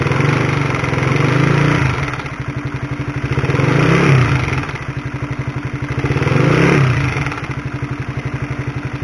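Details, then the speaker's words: Honda CB150R, mic held close to the engine, before replacing the cam chain with a DID chain: fast metallic clatter, about four ticks a second, like a sewing machine, swelling with each rev over idle. A worn, stretched cam chain. "suara dari rantai ketengnya atau rantai tensionernya Bagaimana kaya suara helikopter kan kayu mesin jahit tapi kalau digas kayak supertrees-nya H2 ya haha"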